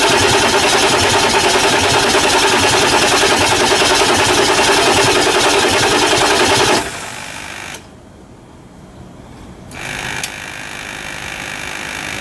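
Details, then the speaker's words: 1999 Ford F350 7.3L diesel after injector cup replacement, slightly hydrolocked from oil left in cylinders and turned by hand: steady fast cranking, about three to four turns a second, for nearly seven seconds without firing; extended hard start. "so it was a bit hydr locked so we let it sit let it turn over so it might be a little Smokey but let's see what she does"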